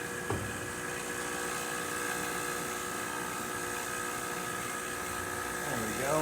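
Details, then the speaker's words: Expobar espresso machine after a completed full service, boiler refilling after the test shot and steam test: steady, even buzzing pump hum at one pitch for several seconds; normal refill pump operation. "Get some water. We'll listen for the refill."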